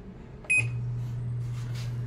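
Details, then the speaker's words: American Home automatic washing machine after no-power fault fixed by replacing control board: short beep, then clunk as drain motor engages and steady low hum; drain motor working normally before spin dry. "Ma babatak yung drain motor niya yun tumunog drain motor bumatak siya tos mamaya ikot siya ng spin"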